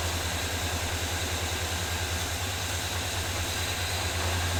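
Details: 1978 Chevy C10 square body V8 idling on 4-5 gallons of fresh gas after finally starting; steady, even low burble, no knocks, skips or surging. Smoke under hood, owner suspects transmission fluid leak burning off; oil pressure gauge didn't move. Normal idle.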